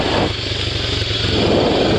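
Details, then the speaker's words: Honda Fourtrax 300 4x4 ATV after an oil change and greasing and spraying the joints: engine putters steadily as the quad rolls forward with no squeak like before; a slight noise is still heard underneath. "immediately you hear there's no there's no squeak while moving forward like before"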